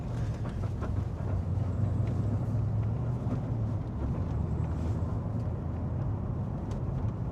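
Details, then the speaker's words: VE LS3 M6 manual with Chopper Reid camshaft, CNC heads, tuned, coasting in fourth gear with revs returning to 1,000 rpm: steady low V8 rumble settling smoothly, no stumble or surge; normal coasting return to idle. "So we're just coasting. It comes back to 1,000 RPM. We're in fourth gear."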